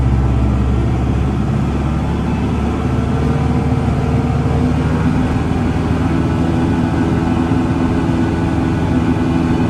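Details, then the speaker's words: Land Pride 2672 brush mower driven at the recommended 250 RPM on the PTO, after starting at lower RPM with clanking: a deep, even drone and steady low rumble with no knocking or clanking, normal running at rated PTO speed. "Recommended at 250 RPM on the PTO."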